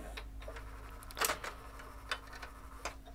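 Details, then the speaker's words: JVC HR-A592U VHS VCR with load/eject fault, no tape inside: faint motor hum under irregular clicks as the mechanism loads, rejects and repeats, believing a tape is present; gears lubricated, cause unclear. "it's going to reject it and then it dries again and that's the whole cycle it just thinks the tape in it"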